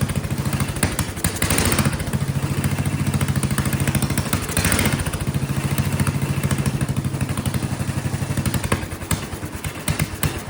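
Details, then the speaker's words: Vintage Kohler motorhome generator, flathead engine (guessed 400–500 cc), after carburetor adjustment-screw changes, no real improvement: uneven chugging dips and stumbles every few seconds, surging; owner suspects gravity-fed fuel lacks the slight positive pressure the float spring implies, not confirmed. "You know, it's probably designed to work with a slight positive fuel pressure, which is probably why that little spring's in there. And so being gravity fed, it doesn't have very much pressure at all."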